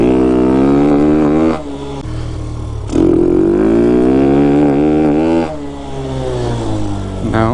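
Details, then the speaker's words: Hellcat Raptor 125cc (Grom clone) with 26mm Nibbi carb and 122 main jet, at wide open throttle: revs high with crackly uneven popping; too rich, 120 main judged correct. "definitely too rich too rich you can hear it when it's wide open it's doing that little popping"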